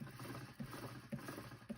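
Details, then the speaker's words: Segway miniPRO wheel spun by hand after tire replacement (bead set at about 57 psi, rebalanced by reseating); a soft rub about every half second as the tire brushes the fender, otherwise running even. "You can hear it rubbing against the fender a little bit, but it should look pretty even."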